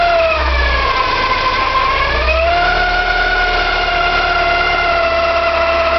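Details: Porsche 944, 2.5 naturally aspirated 8-valve engine running: wavering high squeal and grinding, pitch shifting slightly with revs, hard to locate but from the front; owner suspects oil pump or balance shaft, unconfirmed.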